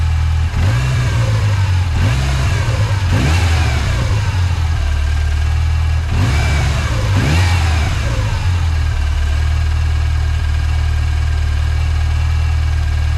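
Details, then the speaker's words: 1986 Mustang SVO fitted with a 1994-95 SN95 5.0L throttle body and a cleaned IAC: engine blips a few times then holds a steady, noticeably high idle; the bracket pushed fully forward holds the throttle linkage open. "This is now pushed all the way forward, so it's holding that down instead of there being up a little bit, so idle's high."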